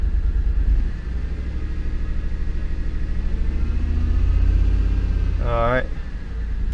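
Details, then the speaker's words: 2008 Ford Expedition Limited, about 235,000 miles, bought with engine issues; low uneven loping idle with wavering speed after clearing codes, no codes set; owner suspects timing issue, unconfirmed; rough idle. "let's turn the engine on still running pretty pretty bad I don't know what that noise was could be a timing issue there's got to be a timing issue"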